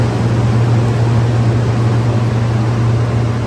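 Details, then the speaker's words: Rapid 500 A 12 V three-phase air-cooled rectifier, 480 V input, 6 kW, remote controlled, tested by electricians, switched on as volts and amps rise: steady low electrical hum with even fan hiss, no buzzing or crackle; normal operation. "Volts and amps go up. Take a look at the oscilloscope wave there. Very nice working machine."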